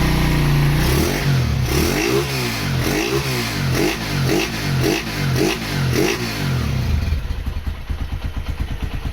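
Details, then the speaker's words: Honda GL100 rebuilt and bored to 160cc with Megapro NPP carburetor, VR intake and new clutch and throttle cables: single cylinder revs through about eight quick blips, clean, no clatter; light, thin exhaust note lacking classic GL sound. "Untuk suara knalpot eh agak kurang enak ya. Ternyata setelah dicek knalpotnya itu enteng banget. Eh suaranya juga tidak ada ciri khas GL-GL-nya."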